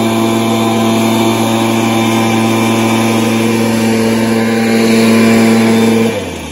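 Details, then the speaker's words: Stihl BR430 backpack blower, previously bogging, after the fix: a strong, even high-pitched drone held steady at full revs, dropping cleanly off throttle; it starts, runs and revs out well. "so that's a good result it starts and runs well and revs out well"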